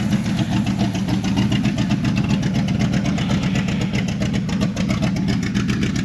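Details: 1984 Chevrolet Monte Carlo SS dirt-track race car, small-block Chevy, on first start in 12–13 years with old plugs. Lumpy, uneven idle with a stumbling pulse of about four beats a second; rough-running, likely misfiring, possibly a cam.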